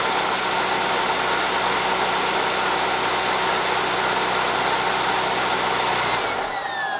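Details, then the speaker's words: 2004 Mercedes C320 4Matic (built January 2004) before water pump replacement: loud, harsh roar at idle from the worn water pump, whose pulley wobbles when pried with a screwdriver; not leaking. "look at that it's making a heck of a noise let me start it up for you yeah she's not sounding too good that's for sure"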